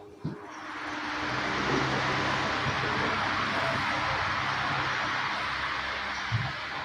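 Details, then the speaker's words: Electric fan after fixing excessive shaft end play caused by a melted shaft lock from long use: smooth, even airy whoosh with no rattle; fan now runs quietly and normally. "นี่ครับโอเคแล้วครับเพื่อนๆใช้ได้นะ"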